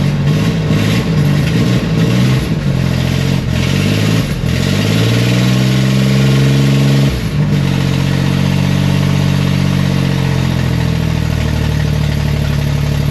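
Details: 1967-69 Corvair (paperwork says 69) flat-six, sat unrun for years, fed by jump box: engine catches and is blipped in repeated rising pulls with an unsteady, lumpy idle between; running rough, later stalled after about five minutes.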